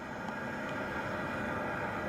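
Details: Barto natural gas compressor station heard from a church cemetery roughly 1,500–2,000 ft away, residents say it was a quiet day: distant steady low hum with faint constant tone, no knocks or surging; running normally.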